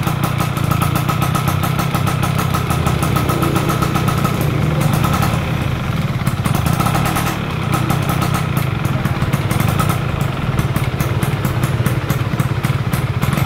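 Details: Stock F1ZR two-stroke during a wet carburetor tune: with the air screw at about 2.5 turns out, a crisp buzz climbs and falls cleanly with the throttle, reaching the top-end scream with no bogging; normal revving.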